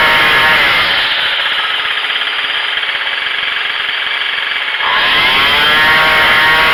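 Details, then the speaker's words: Craftsman 25cc two-stroke weed whacker, previously boggy with no power, after carburettor adjustment, started on choke: holds full revs, dips, climbs back cleanly with a faint squeak; idle still too high. "You can hear the RPM get to the maximum, and then this idle's too high right now."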